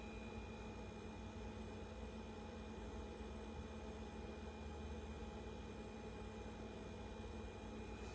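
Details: Ca'Lefort 15-inch dual-zone wine cooler refrigerator after install: constant loud steady buzz with fixed hum that never cycles, far louder than other appliances; cause unclear.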